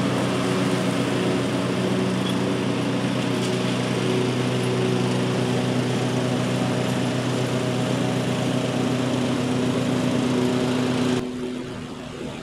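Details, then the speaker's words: 2003 Simplicity Regent lawn tractor, 19-year-old Briggs & Stratton engine, revived after years in storage, cutting grass with deck mounted; strong steady buzz, no bogging, then throttles down; running really good with plenty of power. "but i'm happy with the the engine it was running really good plenty of power to drive and mow and that feels pretty good to me"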